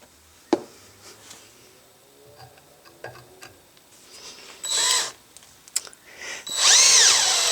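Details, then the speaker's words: Drilling 3/16-inch steel plate with a small bit at slow speed, trigger not fully pulled, with firm downward force, center punch and lubricant: short bursts of even whir, no squeal or chatter, big curls of chips. Normal drilling. "I'm not even pulling the trigger all the way I'm spinning the bit [Music] slowly"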